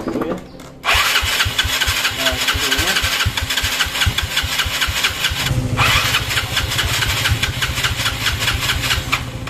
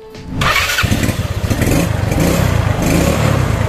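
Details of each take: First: Yamaha Mio scooter: the starter keeps cranking at about five beats a second but the engine never catches, as if the carburetor were flooded; the mechanic suspects the carburetor area. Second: Yamaha Mio scooter after repair for hard starting (as if the carburetor were flooded): parts were oiled and a spring cut, and it now gives a brief starter whir, catches at once and settles into an even, steady idle.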